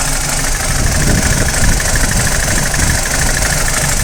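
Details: BMW 320i E90 N46 warm idle, rough and stumbling with light metallic rattle over deep rumble; misfire and rattle only when warm, not cold, persisting after new timing chain, guides and tensioner; VANOS unit or solenoid suspected.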